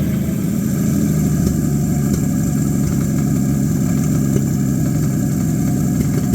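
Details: Abandoned Chevy 216 inline-six from a 1950 Chevy 1-ton truck, run on used filtered oil through a couple of heat cycles: rough, chuffing idle with occasional dropped firing under a low knock. Misfire plus bottom-end noise, pointing to a worn bottom end.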